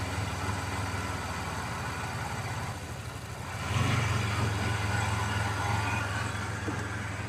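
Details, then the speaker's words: 1990 Mitsubishi Montero, timing being checked with a timing light: idle pulses unevenly at about 3.5 beats a second, then surges louder; still runs terrible, cause unresolved. "There doesn't seem to really be making any difference. So, we're gonna hit a little bit of a brick wall here temporarily. Thing runs runs terrible."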